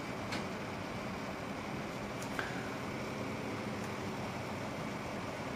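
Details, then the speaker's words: Corsair H100 liquid CPU cooler with pump adjuster set to low, 48.05 °C under load, about 5 degrees warmer than high; soft, steady airy hum, fans spinning slowly and quietly with no ticking or rattle, much quieter; normal quiet fan operation. "And I'll bring you back up. It is much quieter"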